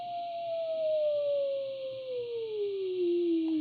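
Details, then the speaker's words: Braun T1000CD radio during BFO alignment after AM IF alignment: clean, steady whistle slides smoothly down from about 700 to 300 Hz as it is tuned toward zero beat; normal BFO heterodyne whistle. "so the difference is getting smaller so the tone is getting lower in tone up the other side again"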